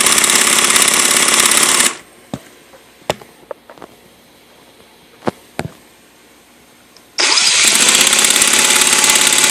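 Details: Redcat Racing VX 16 nitro RC engine, sat for years; new glow plug, igniter, fuel line, gasket, coupler, air filter, carb cleaned, compression good: starter buzzes in two bursts, no firing; cranks but won't start.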